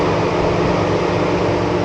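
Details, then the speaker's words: 2017 Chevy Silverado V6 with code P0128: thermostat stuck open, so the engine is slow to warm up, the radiator fan stays at full speed, the AC is out and the temperature gauge is dead; a loud, steady fan roar. "So the thermostat fails to make a proper seal, so it takes the engine longer to heat up, and as you can hear, it's very loud actually."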